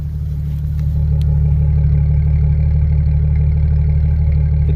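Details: 1998 Jeep Cherokee XJ 2WD, low mileage with documented service history, old inline-six: deep, even idle rumble with a steady beat and no ticks, puffs or rattles from the exhaust; normal exhaust note.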